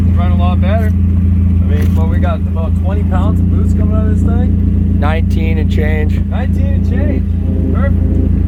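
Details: Mazdaspeed 3 turbo engine after head gasket replacement with Cometic gasket and head studs: steady deep hum, even smooth idle, no knocks or misses under music; runs healthy.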